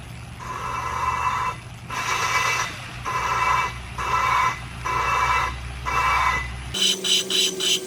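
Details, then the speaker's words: Honda K24 rebuild, lapping a valve with compound, lubed stem: gritty rasping strokes about once a second, then a lighter, higher, cleaner rhythm as the pitch changes; compound breaking down, valve lapped. "and then you should hear the pitch change. And when it changes, that's when you know the compound's broke down and it should be lapped."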